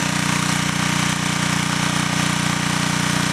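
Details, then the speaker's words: Engine running on wood gas from an automated gasifier powering the building, little humidity in the gas: firm, even chugging at constant speed with no surging or misfires; very stable running. "I said, the main thing is just to let everybody hear the stability of the engine, and to me that's priceless."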